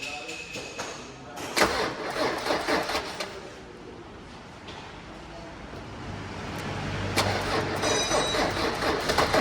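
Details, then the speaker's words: 1995 Mercedes-Benz W124, first start after sitting three months following repair work. A long crank, then the diesel catches on the first attempt and settles into a rough, clattery idle; a normal cold start. "സ്റ്റാർട്ടായിട്ടുണ്ട് guys, all സ്റ്റാർട്ടായിട്ടുണ്ട്. First സ്റ്റാർട്ടിൽ തന്നെ ഒന്ന് നീട്ടി crank ചെയ്തപ്പോൾ ആൾ start ചെയ്തു."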